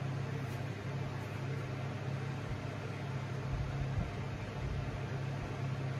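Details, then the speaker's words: Hunter Summer Breeze ceiling fan on high, portable fans off: steady low hum with even rush of air, no knocking or scraping; lots of wind noise, running normally. "Here, I'll turn the portable fans off so you can hear it. Yeah, I'll turn off the lights too. It's on a wall outlet switch. This thing makes a lot of wind noise."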